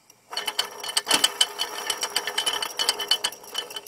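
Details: 2004 Mercedes C240 AC compressor with belt off, no engine sound; rapid, uneven loud metallic clicking and rattling from the compressor; suspected failure, not confirmed.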